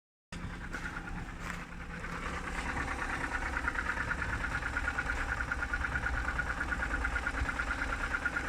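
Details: BMW N52B25, cold morning idle: steady light knock about three per second over engine hum, seemingly from the oil filter housing side; source not pinned down.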